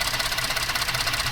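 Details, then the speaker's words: 2014 Ford F-150 3.5 EcoBoost idling unevenly with rapid lumpy pulsing and repeating stumble, engine shaking; misfire from a loose ignition coil connector, being lubricated and reseated. "No, mira, está temblando el motor."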